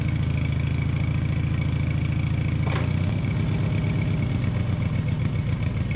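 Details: Taurus 650, in the shop: engine holds a fast, busy idle, way too high and never drops to slow tickover, so it takes off; throttle not returning, likely missing return spring; linkage later fixed.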